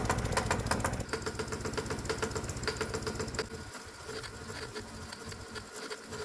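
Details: Hot bulb semi-diesel lawnmower engine running on gasoline as a semi-diesel, warmed up with spark plug then disconnected, carburetor leaned out: hard, rattly knocking about four beats a second over sputtering single-cylinder run from uncontrolled auto-ignition, sounding seconds from blowing up.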